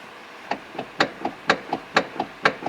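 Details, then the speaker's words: 2011 Hyundai Elantra: sharp hollow knocks in quick pairs from the steering column as the wheel is rocked, caused by a worn MDPS steering coupler that is then replaced. "there's a good chance you're familiar with that sound and today we are going to replace the steering coupler in this 2011 Hyundai Elantra let's get started"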